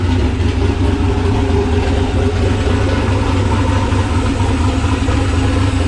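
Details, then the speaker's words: Nissan Patrol Y60/GQ SWB with a turbo LQ9 6.0 iron-block V8 (Camtech turbo cam, Holley Terminator X), dead cold after sitting two days, exhaust not yet complete. Deep, loping cam idle, steady and even, no knocks or misses, healthy. "so yeah sounds really good really happy with it but i won't piss off the neighbors too much"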